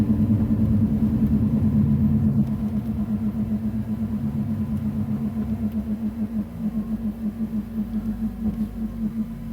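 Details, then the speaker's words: 2002 Mercury Cougar driving at about 2,000 rpm, shortly before stalling, car also has ABS tone ring faults: low hollow hoot pulsing about twice a second over engine rumble; intake hooting noise. "That's an annoying sound that the intake is making on this car."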